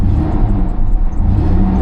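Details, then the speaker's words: Chevy Blazer 2-door V6, 276,000 miles, service engine soon light on: deep even roar swelling smoothly with throttle, no knocks or misses; revs up nice and runs great. "Revs up nice. It honestly runs great."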